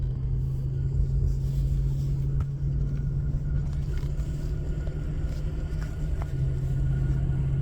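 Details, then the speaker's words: Lexus LS430 at about 40 mph after rear diff fluid change and tire rotation: constant low drone/hum from the rear under road rumble, recorded with chassis ears on hubs and diff; wheels show no play; differential or wheel bearing suspected, not confirmed. "The other day I noticed a slight droning noise from the back end. I've heard people say possibly the differential, possibly the wheel bearing."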